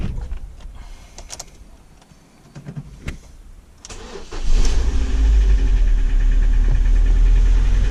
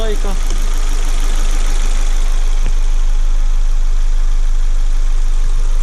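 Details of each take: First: Ford Focus 1.6 with engine knock, later torn down for overhaul: scratches found on cylinder walls. After it fires, a steady hollow knock about three per second rides over the idle: piston slap. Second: Ford Focus 1.6 after overhaul for an engine knock, new oil and coolant, fully warmed up with fan cycling: steady, even low idle with no knock; normal idle after repair.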